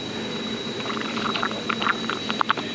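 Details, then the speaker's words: Car with a soaked driver-side front carpet: hot soapy water and compressed air flushed through the cleaned drain tube, which trickles and splashes steadily with no gurgle; drain flowing freely to the outside after cleaning the tray. "As you can hear, it's draining pretty well. But this is just to ensure that we're getting a really good flow, or the best flow we can possibly get."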